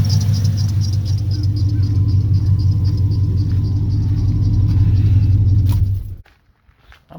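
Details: 1979 Pontiac Firebird, LS-swapped V8, after fixing misfire from plug wires touching the header by swapping plug-side boots from spare parts; deep steady even rumble, no skips or stumbles, before shutting off.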